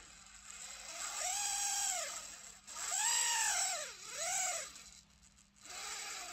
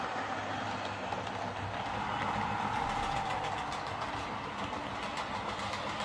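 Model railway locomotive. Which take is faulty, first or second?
first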